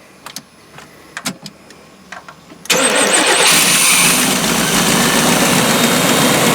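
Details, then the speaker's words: 1992 Chevy P30 RV, TBI 454 V8, after fixing no-spark and no-fuel-pressure; starts right up, smooth steady idle, no misses; alternator charging, takes throttle well, runs healthy. "this thing runs pretty good now alternator is charging it starts up pretty good it idles nice it takes throttle good"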